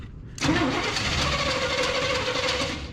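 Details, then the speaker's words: 1973 Chevrolet C10 big block, long-sitting abandoned project, carburetor with accelerator pump, choke: catches and settles into slightly lumpy uneven idle, no clear knock; owner suspects vacuum leak, not confirmed. "This thing just sounds like I don't know if it's just the air the carburetor sucking in, but it almost sounds like a vacuum leak"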